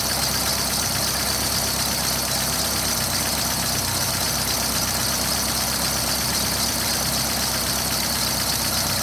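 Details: Steady idle with fast, light ticking over the engine note, like noisy hydraulic lifters clattering at idle, before lifter repair.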